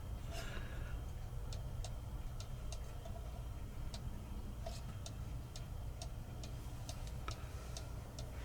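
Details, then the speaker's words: Modern 30-hour cuckoo clock with brand-new replacement movement on a test stand, after bending the crutch to adjust beat: crisp, evenly spaced ticks with equal tick-tock gaps; clock now running in beat. "sounds pretty good right there"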